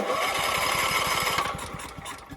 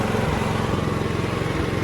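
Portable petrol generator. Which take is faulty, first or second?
first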